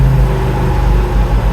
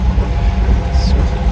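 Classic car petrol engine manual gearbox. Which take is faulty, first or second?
first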